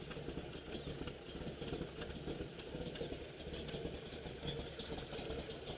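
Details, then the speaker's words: 1969 Camaro Z28 tribute V8 with a cam, new clutch: lumpy idle with a light, uneven metallic rattle on top from a loose exhaust section; otherwise runs and sounds good. "you can hear the exhaust rattling a little bit where it's loose has a nice cam in it sounds really good"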